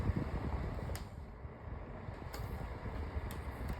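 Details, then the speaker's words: 8-inch Sunbeam (Holmes) oscillating fan with front grill on, grill design acting as a shroud and making it louder: low steady airflow rumble with light irregular ticks and rattles every second or so. Fan rattle, less than the Blizzard model. "it doesn't rattle as much as the Blizzard model. That one, the Blizzard model, rattles like crazy. And it's not too loud, but it's not quiet either."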